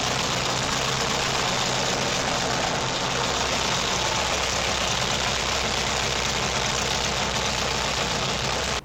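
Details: Engine on self-built MegaSquirt 2 v3.0 running MS Extra code, cranked over with fuel pump cycled and laptop monitoring; catches and settles into a steady, even idle with no knocks or misses, sounding healthy.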